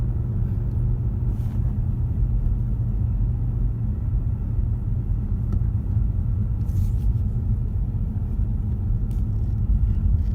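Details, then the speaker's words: 2015 Ford Mustang 2.3 EcoBoost on low-profile tyres, cruising on a rough road, owned about a year: deep steady droning hum with a pitch, no knock or rhythm. Owner doubts the tyres and suspects a wheel bearing, unconfirmed. "I don't see how this could be the tires he's unless that's the way low profiles are supposed to sound"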